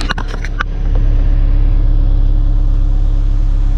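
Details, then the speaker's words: 2006 Chevy HHR, 125,000 miles, on a boosted battery and no gas: a few clicks, then a smooth, steady low idle with an even hum, no misses or knocks; normal idle, runs good. "as you can hear first like a kitten man can't fault it but yeah this is off a little bit i'll check that out but yep clean up the engine bay runs good"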